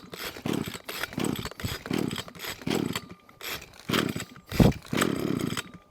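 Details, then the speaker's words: Hitachi (Hater) B230 two-stroke line trimmer with reverse-pull start, fitted with cheapest Amazon replacement carburetor, primed then started on choke: catches and surges in uneven bursts about once a second, rough but firing and running. "pull the cord out nothing happens but it's not until you get to a certain point and then you release it that's when it actually will fire"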